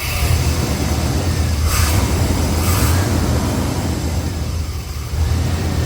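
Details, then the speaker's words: Chevrolet Silverado 5.7 TBI V8 idling after a throttle body rebuild with linkages reconnected; a deep, steady rumbling idle with a slight dip and recovery, and no knocks, a normal idle. "Man, if this works, I'm going to be super happy. If it doesn't, I'm going to be not so super happy. Let's see how she idles."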